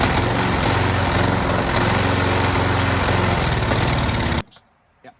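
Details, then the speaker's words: Old petrol lawn mower that had sat for years, started with a shot of starting fluid: fires and runs unevenly for about four seconds, then cuts out abruptly; starving for fuel, owner suspects a clog, likely debris in the carburetor. "definitely starving for fuel. It's uh probably clogged somewhere."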